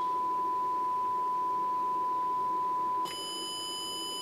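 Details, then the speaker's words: TC Electronic Fireworx effects unit with a 440 Hz sine fed into the analog input in bypass and passed digitally to a second device. A clean tone turns buzzy and harsh about three seconds in. Owner suspects a ground issue, cause unconfirmed. "okay so what I did there's a 440 HZ sinus wave going into the anlog input being digitized and I put it on bypass"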